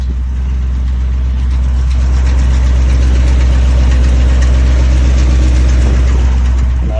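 Heavy low idle rumble with a steady rhythmic pulse around three per second; some odd noise present, source unknown.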